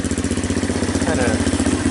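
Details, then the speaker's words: Honda TRX200SX ATV single-cylinder engine in EZGO golf cart, after fitting new custom muffler: steady idle with even popping pulses about eight per second, kind of pops; normal idle. "Kind of pops it off, but that's what it sounds like after."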